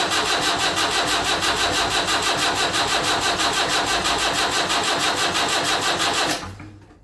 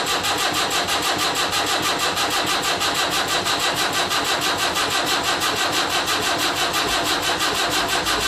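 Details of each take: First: Land Rover Series 3 2 1/4 diesel at first start after rebuild: steady cranking at about three compressions a second for six seconds with no firing. Fuel was bled only to the injection pump, not yet to the injectors. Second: Land Rover Series 3 2¼ diesel, first start after rebuild, injector lines deliberately unbled: a steady, even cranking rhythm of about ninety beats a minute without firing; long crank before first start to build oil pressure.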